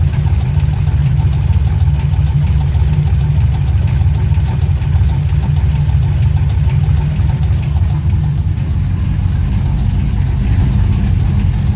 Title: 06 TBSS Engine Knock